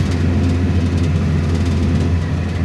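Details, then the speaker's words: Nissan X-Trail T30 automatic in D at 3,000 rpm, steady strained drone with no rev drop; stuck in first, not upshifting. Engine light off now; when it comes on, revs are limited to 2,500 rpm. "tingi satu terus ya teman-teman ini 3.000 RPM tidak mau pindah sama sekali"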